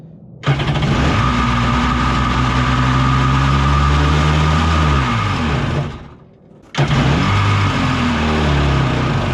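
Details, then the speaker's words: Kawasaki 750 jetski-engine mini jet boat on first startup: fires and runs with a wandering uneven beat, sags and dies, restarts lumpy; later found to be leaking air past bad carb gaskets on the intake side. "otherwise maybe we have some sort of air leak on the carburetor side so I'm gonna be taking some stuff apart just ch"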